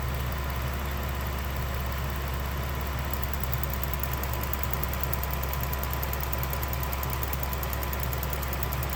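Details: 2016 Ram 1500 idling steadily, with a fast, light ticking or clicking of roughly six ticks a second that begins partway through; the owner asks whether this is normal.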